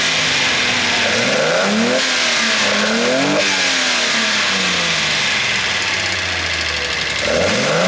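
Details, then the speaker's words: Datsun 240Z S30 inline six, 5-speed ZX transmission swap, 6-into-1 exhaust, electric fuel pump, already warm and idling a little low: loud hissing intake suck rising and falling with each throttle blip; carbs open with no air filters. "hopefully you got a bit of the sound of that exhaust. You can definitely hear the carbs sucking the air. Got to get some filters for them for sure."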